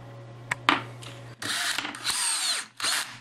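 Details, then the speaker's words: DeWalt DCD778 18V cordless brushless drill that stopped running after a fall, tested after reseating a loose motor connector: short bursts of smooth high-pitched whir with even spin-up, no stalling or stutter; runs normally. "that's fine so in other words it'll just as connected that it worked itself loose"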